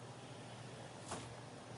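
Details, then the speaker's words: Prep cooler about 14 years old, just plugged in: compressor hums but fails to start, then overload clicks; suspected bad capacitor, relay, overload or compressor. "I hear that compressor humming like it wants to run. And there's that click of the overload."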